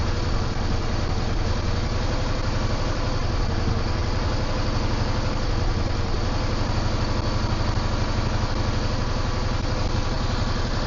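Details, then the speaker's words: Yamaha V-Star 650 that was not running properly, now idling with a smooth low V-twin thump, no misses or knocks, clearing out; rear cylinder smokes oil, owner suspects rings after sitting. "I can hear it clearing up as it's just sitting there idling it's cleaning out"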